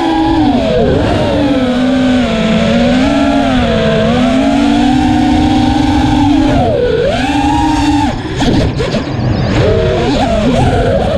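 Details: Armattan Rooster racing quadcopter after a vibration fix; motors hum cleanly, pitch rising and dipping with throttle, with no strong vibrations above mid throttle. Normal motor sound across the throttle range.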